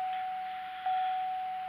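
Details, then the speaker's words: GXP with ignition on and engine off during Accel tuner install: steady high-pitched chime for two seconds with one short blip. Warning caused by the pulled traction and stability control fuse. "okay yeah those beeps you hear there's for where I have the fuse plug for my traction control stability control and stuff"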